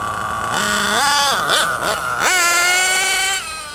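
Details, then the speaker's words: RC truggy nitro engine after turning the high-speed needle just under a quarter turn in from base settings; shrill buzz sweeping through quick blips, settling on a steadier high note, noticeably less rich. "It's already very noticeably different. I'm sure you noticed it as well."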